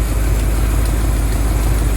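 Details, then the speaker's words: Ecto-1 (Ghostbusters car) running warm, steady at 190 on the gauge, at idle: faint puffing tick of an exhaust leak on the other side; one exhaust manifold is missing a bolt, to be replaced. "You can hear a bit of a exhaust leak on the other side. I found that one of the manifolds is missing a bolt, so I'll have to find one of them and pop it in."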